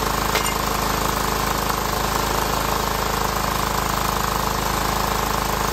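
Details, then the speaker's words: Cub Cadet HDS 2135 riding mower: steady rapid even chugging once running; fuel was not reaching carburetor on its own, seemingly fixed by priming fuel system to the pump and a shot of carb cleaner. "It seems like we just had to prime the fuel system to the pump, and that little shot of carb cleaner was enough to get it fired."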